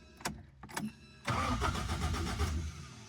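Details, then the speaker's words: Rebuilt 4AGE engine in a 1975 Toyota Corolla KE35, first startup: a few weak cranking bursts, then a rough, uneven catch that stumbles and fades with a fuel smell; fuel lines were confirmed connected the wrong way round. "That sounds That sounds really [Music] What? That doesn't quite sound right. I smell fuel. I might have got them lines around the wrong way."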